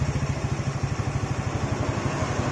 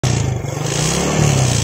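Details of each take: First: Yamaha Jupiter Z carbureted single after repair: the leaking auto fuel tap's vacuum hose was plugged with a bolt and the air screw set about one-plus turns out. It now holds an even putt-putt idle, no longer stumbling, with crisp throttle blips. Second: Yamaha Jupiter Z carbureted single, carb already cleaned: revs with a surging, faltering beat because petrol gets into the fuel tap's vacuum hose; fouls the plug black and wastes fuel. Fix: plug the hose with a bolt.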